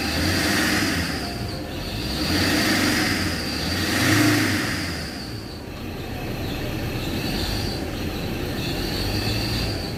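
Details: Ford Ranger Wildtrak 3.0–3.2 diesel blipped: high grinding-edged squeal rises with each rev, fades at idle; worn serpentine belt, to be replaced.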